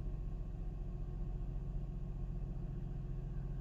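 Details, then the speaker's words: Mercedes SLK 350 (R171) petrol engine after replacing the faulty ignition coil for a misfire: low, steady, even idle with no stumble or shake, smooth start, much less vibration than before; normal idle. "oh already that's a nice idol a nice smooth start should i say so wait until the engine goes through its warm cycle and we'll see if that idle holds steady"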